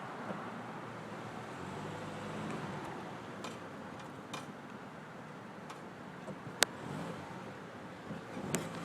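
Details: Sharp isolated clicks over low rumble from the driver's side only when braking, not when turning; persists after rotor resurfacing and new brake pads.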